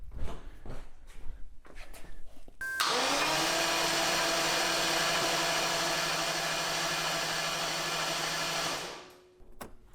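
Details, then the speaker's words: 1989 Jaguar XJS V12 cranked with an inline spark tester fitted: even whirring for about six seconds, never fires. No spark was seen and fuel can be smelled; owner suspects a dead coil or switches, not confirmed. "could be a dead coil by the way I didn't see any Spark all right so I smell fuel I know we're getting fuel to the motor"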